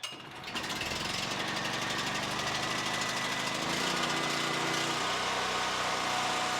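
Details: Generac GP7500E generator that came in not starting, bad carburettor, started with choke on: quick pull-start, the small engine catches and settles into a steady, even, fast chatter, running normally.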